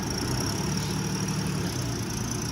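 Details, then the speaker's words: 2008 Ford Explorer at a tow-yard auction, jump-started with a jump box: low, steady idle holding one even tone with no knocks, surges or misses; it started right up, moved backward and forward, and sounds pretty good. "Has the jump box hooked up to it. Started right up with a jump."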